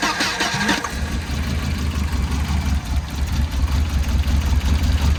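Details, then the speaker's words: 1992 Volvo 940 wagon, long-stored, after the radio suppression relay was plug-deleted, run without the airbox: about a second of cranking, then it catches into a steady, fairly even low idle with a slight misfire. Engine cranks and starts. "I feel like that's a running motor. Ladies and gentlemen. A little bit of a misfire. Actually, that sounds really good. Look at that. That runs really good. I'm impressed."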